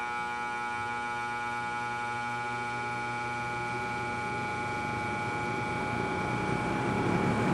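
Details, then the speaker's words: Vintage McGraw Edison Zero box fan motor after cleaning contacts, bearings and bushings: smooth, steady hum building as it spins up, no scrape or rattle; motor runs healthy, spins down freely. "all right that wasn't a bad test that actually span spun up fairly quickly and really ran nice and look at that spin down"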